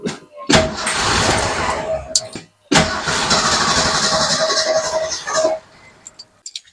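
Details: Car just after fuel-system work with new lines, filters and electric fuel pump: two long bursts of steady starter whirring, engine never catches; cranks but won't start, fuel not reaching it yet.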